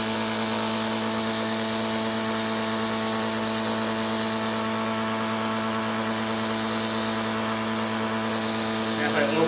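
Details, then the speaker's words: Vacuum pump with a newly installed replacement mechanism, running while its mechanism bolts are being tightened. A steady pump hum turns strained and heavier near the end: the bolts are overtightened and the pump starts seizing. The fix is to back the screw off to just past finger-tight. "it you can hear the pump will seize up so we don't want that that'll um tell you it's too tight you just want to back off that screw a little bit"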